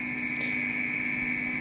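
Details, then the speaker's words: Audi Coupe GT (DZ) 1.8 8v with K-Jetronic during a flow check, after new Bosch injectors and Golf 2 GTI 16s aviation-type lines: a clean, steady high-pitched hiss with no sputter, the injectors spraying evenly with the flow plate barely open. "là, il chantouille bien comme il faut, malgré que le plateau est à peine ouvert."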